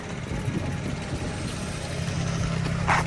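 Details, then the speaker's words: Neglected BMW 335i with N54 twin-turbo engine on a test drive: tinny irregular rattle over engine and road drone with a sharp metallic burst near the end, traced to a loose heat shield. "Okay, okay, I see it. It's a shield. Yeah, right there, boys. That sounded bad, though."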